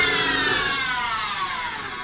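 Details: Denford Triac CNC converted to Mach 3 with a Panasonic 1.5 kW servo spindle motor: a high whine with a rough edge sweeps down as the spindle winds down; odd noise rises with speed and the upper bearing support runs very hot, bearings suspected.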